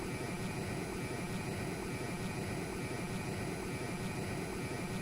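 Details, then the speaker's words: PC with a new ASRock RX 9070 XT Taichi graphics card on a 750 W power supply, launching Warframe: thin steady high-pitched coil whine over fan rush under load; owner initially suspected the power supply was near its limit. "have quite a bit of Coil Whine on my unit. Now this is unfortunate and I thought it was for a different reason."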